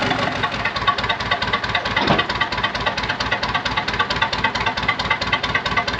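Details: Early-1980s International TD8E bulldozer diesel, long-sitting, started cold on ether: sharp, clattery, slightly uneven beat of about two pulses a second; owner doubts it runs right and suspects the injection pump or low compression.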